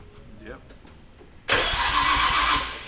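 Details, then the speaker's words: Nissan R34 GTR with RB26 engine at first start after nearly a year: loud, steady starter whir turns the engine over evenly, no grinding or clicking; normal healthy cranking. "Man, RB26 starter sounds so cool. It sounds way better than RB25 I know."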